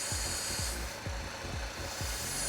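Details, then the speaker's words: LFX engine at idle with an RXP twin catch can: airy hiss over the idle fades and returns as the valve is shut and reopened, audibly affecting the idle. Air is being sucked in, which is normal crankcase vacuum. "that's a lot of air you can actually hear the idols affected when i do that as well that's actually sucking in it sounds like it's blowing but it's not it's actually sucking in"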